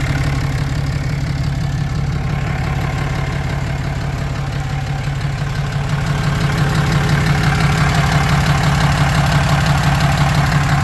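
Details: 2016 Cummins 6.7 diesel, 75k miles, at idle: steady clatter with even tick about three times a second, knocking/clicking from under the engine; cause not pinned down.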